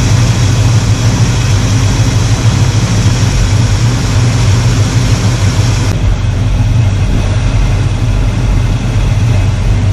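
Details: 1985 Chevy C10 307 small block after the carburetor tune-up, with all vacuum sources plugged and idle around 700 rpm. Deep, even rumble with no misses, surges or knocks; normal idle.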